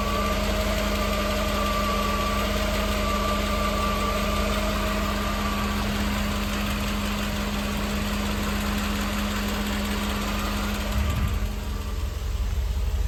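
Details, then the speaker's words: 1988 Mercedes-Benz 560 SL V8, 51,705 miles, cold start on an evening in the 80s: smooth, quiet, even idle with no ticking or knocking. "it is just oh so quiet in here. No more road noise. Barely hear the engine running."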